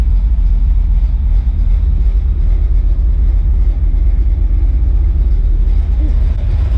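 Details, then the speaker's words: Fox-body Mustang V8 on first startup after cam install, timing not yet set: deep, lumpy, uneven idle rumble; rough cammed idle plus a small vacuum leak from a broken vacuum line. "well she will so but we just got it running time is not set yet we do have a little vacuum leak you broke the vacuum line but all in all she is running as you can hear"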